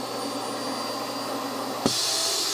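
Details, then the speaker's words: Forest River Road Vac onboard vacuum in a 2020 R-Pod 193 trailer, floor/broom inlet opened: steady high airy rush that jumps louder and brighter as the inlet opens, even with no rattles, sucking debris into a bag in the top unit; normal running. "And that's going to kind of suck everything into a bag that's up here in the top unit."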